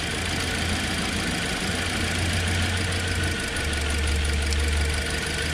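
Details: 2009 Toyota Corolla 1.8 2ZR-FE, 169,956 miles, codes P0302 and P0352: rough, lumpy idle barely changing with coil number two unplugged, so that cylinder is already dead from a failed ignition coil.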